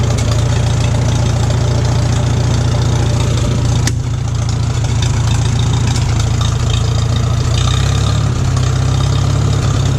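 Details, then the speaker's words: 1941 Farmall H tractor, converted from 6 to 12 volt, started without choke; previously surged when given throttle, now runs much smoother, may still need fine tuning. Steady, even four-cylinder chug at fast idle, settling cleanly on throttle changes; smooth running. "It's running much smoother now without hardly any hesitation, because every time I would give it a bit more, like right there, the engine would want to surge."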